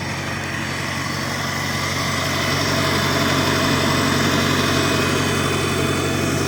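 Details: 1953 Farmall Cub tractor after refilling low hydraulic fluid (NAPA tractor hydraulic transmission fluid): even steady beat, earlier high-pitched squeal gone; normal running.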